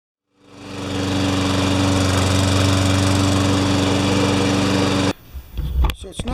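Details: Honda 21-inch Craftsman mower single-cylinder engine after blade work, blade at about 3,200 rpm: comes up to speed and holds an even, steady drone, no hunting or surging; surged the day before, water in fuel suspected.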